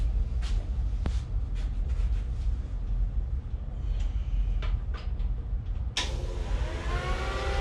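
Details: Homemade race car with a 20-year-old replacement engine after new fuel pump: deep uneven rumble with irregular knocks, struggling to run; owner suspects the tune, done while old pump was dying, possibly a starter or setup issue.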